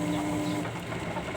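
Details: Modified Hitachi top-load washing machine at spin-dry start: brief soft hum as the drum begins spinning, no grinding or gear clash as the gears engage; normal engagement.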